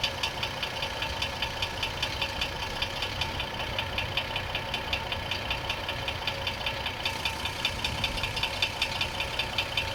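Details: 2004 GMC Envoy 4.2L idling with transmission removed and belt off: crisp, even deep internal knock about 2.5 per second, suspected rod knock; flexplates swapped (original, used, new) and harmonic balancer replaced without change, oil pan removed.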